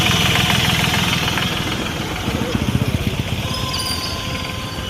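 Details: Hyundai i10 Grand engine with a knocking and white smoke problem. A burst of distinct knocks, roughly four a second, rises above the idle for about a second; cause undetermined.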